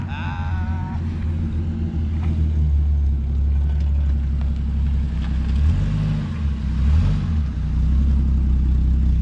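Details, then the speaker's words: 1975 Plymouth Duster Slant 6 after carburetor cleaning/rebuild and temporary exhaust with cherry bomb style muffler: deep, loose burbling rumble at steady idle with a slight lope; normal idle. "Don't sound too bad. I think it sounds cool."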